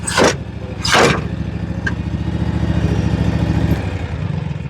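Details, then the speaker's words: John Deere 757 Z-Track zero-turn mower after new starter and fuel filter (was fitted backwards) and fuel system repair; engine settles into a steady, even drone under load with no misses, running properly now. "See how she's gonna act now. That sounds a lot better."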